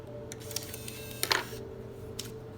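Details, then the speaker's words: Nintendo Wii from a yard-sale lot, after teardown, cleaning and reassembly, controller synced: over a low steady hum, a short whir and a pair of clicks push the disc out; clean normal eject. "oh it's already connected so let's go ahead and try and eject this"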